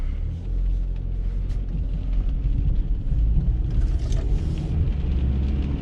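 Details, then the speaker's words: 2020 vehicle after rear wheel repair, driven at about 20–25 mph where a rear noise previously began: only even low road rumble, no hum or growl from the rear wheels; noise gone, now normal. "o qué diferencia ya no se escucha qué caray nada saben qué yo aquí mismo me doy vuelta ya no se escucha amigos decimos buen trabajo ahora si se escucha normal"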